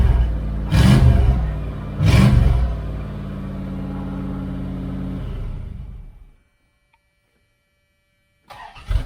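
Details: 1978 Dodge Aspen R/T 360 four-barrel V8 during restoration: two sharp blips into a loud raw deep idle, then shut off; straight exhaust cut off at the manifold, unmuffled.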